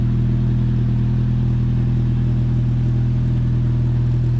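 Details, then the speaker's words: Nissan 240 street car on its first startup after a new exhaust was fitted (the muffler now sits higher): a deep, smooth, even idle with a soft, steady exhaust note and no rasp or leaks. It is much quieter than the old exhaust, which sounds healthy. "Oh my god, it's so much quieter. Wow, that's a lot quieter. I can actually hear myself now."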